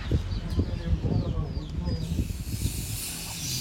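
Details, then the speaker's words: Polytron one-door refrigerator not cooling, with the light on and the compressor hot: a refrigerant pipe is cut and a sharp, steady hiss starts as oil and freon spray out. System charge escaping; the system will need flushing. "di sini kalian bisa lihat tuh keluar ya nah ini yang keluar itu oli dan juga freonnya teman-teman ya"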